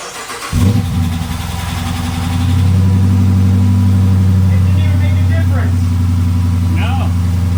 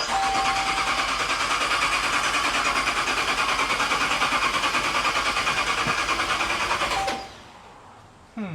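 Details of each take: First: Retired Michigan State Police Dodge Charger Pursuit V8 being built into a supercharged widebody, new exhaust with rear mufflers still fitted: cold start, catches first crank, flares, settles to a deep, even, loping idle that slowly firms up; healthy. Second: Dodge Charger Pursuit on start-up attempt, 87° air temperature: starter turns the engine over fast and evenly for about seven seconds but it never catches; fuel at the tailpipe, so missing spark suspected, unconfirmed.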